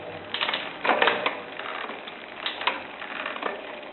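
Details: Shimano Zee RD-M640 rear derailleur with the clutch on: dry creaks and clicks in short bursts while shifting; clutch creak, and if cleaning and regreasing fail a part needs replacing.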